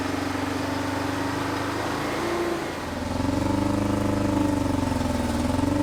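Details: 1970s Insley H800 excavator's Detroit two-stroke diesel, freed from seizure after 25+ years sitting, started without ether: steady gruff drone dipping briefly near three seconds, then running evenly. Normal running.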